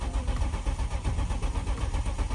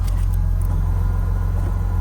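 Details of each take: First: BMW E36 coupe with its cracked, dry-rotted fuel line replaced by copper and new rubber lines: the starter churns at a steady, quick rhythm for several seconds without firing. Crank-no-start because a connector was left unplugged. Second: BMW E36 that had been leaking fuel, running after refuelling with no leaks seen; deep, even rumble at steady low idle with no stumbles, ticks or hiss; normal idle.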